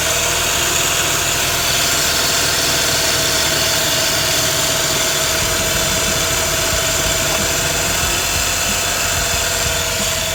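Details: 131k-mile Mazda RX-8 R3 rotary at steady idle with a constant airy hiss and no rhythmic misses. The owner is unsure whether it is a vacuum leak and suspects starting issues from ignition or a worn engine. He is considering a silicone aftermarket replacement.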